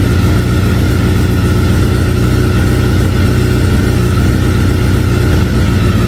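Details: 2009 Honda Fireblade CBR1000RR, sat outside in an auction lot a long time, battery not fully charged: deep, loud, uneven rumble stumbling irregularly instead of a clean steady beat; rough running, cause not confirmed.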